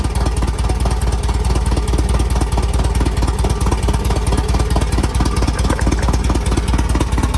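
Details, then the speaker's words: 1967 VW Type 3 Squareback air-cooled flat-four, first start after engine install with points gapped and condenser fitted, using starter fluid: catches and settles into a quick, even putter around two beats a second, no misses or knocks. "all right it started right up so the points and condenser did work we have sparked everything seemed"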